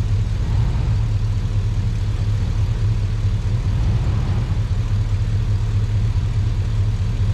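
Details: Truck after sitting a while, in cold weather: deep, even V8 idle with no misses, knocks or ticks; a normal idle.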